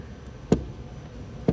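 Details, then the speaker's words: Old Ford diesel truck with no heat: two crisp clicks about a second apart from the heater control valve, which is actuating properly; heater core plugged suspected instead. "I checked my valve here. That's working fine. You can actually hear it."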